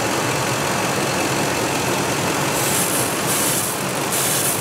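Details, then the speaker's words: 2003 Ford F-150 V8 at idle with codes P0171 and P0174 (both banks lean): steady airy hiss from a vacuum leak at a cracked rubber intake boot, finger gets sucked in. "And then if you put your finger right there, it gets sucked in. Okay. So we found our vacuum leak. And it's on a fucking rubber boot."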